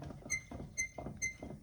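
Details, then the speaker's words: 2011 Chevrolet Suburban, over 200,000 miles, on lift, wheel rocked by hand: sharp metallic clunks about twice a second, wheel moves every which way; bad wheel bearing, causing vibration when stopping and turning. "not sure how well you can see that but this thing moves every which way and you can hear it clunking so we got bad wheel bearings"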